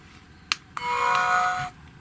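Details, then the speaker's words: Reference power-on sound of the previous flagship GHD Platinum Plus hair straightener, plugged in and switched on in a 17 °C workshop: two short clicks then a clear steady one-second electronic beep, the normal startup tone. "let me show you the sound that the Platinum Plus the last Flagship model produces when plugged in and turned on so you have a reference"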